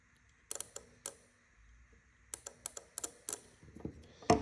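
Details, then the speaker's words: Toyota EVAP vacuum switching valve (VSV), a 12 V solenoid, bench-tested with a 12 V M12 battery touched to its leads: sharp, crisp clicks with quiet between, so the solenoid actuates normally. "So being a 12-volt solenoid valve, I've got a 12-volt M12 battery here. I'm just going to touch these two leads, and you should hear it click."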